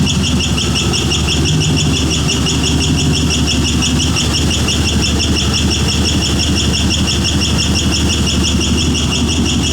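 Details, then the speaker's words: Car with freshly swapped 5.3 V8 (replacing 4.8), still cold, no idle air control valve so throttle held, makes a rhythmic metallic squeal about three chirps a second; owner suspects starter or flex plate. "then it's like a screeching squealing metal circular noise like R rhythmic it doesn't sound like it's no knocking no tapping nothing"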